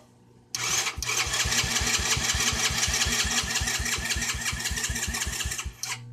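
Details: Four-wheeler that won't start: engine catches after cranking, runs rough and uneven about five seconds, then bogs down and cuts out.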